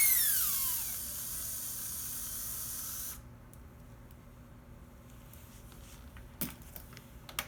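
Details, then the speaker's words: Slot car chassis motor fed from a battery through a home-built lane power reducer: thin high whine drops then holds a low steady speed on reduced power, running smoothly; normal slow running. "This is the negative coming from a battery. Now you can hear the car going fairly slow."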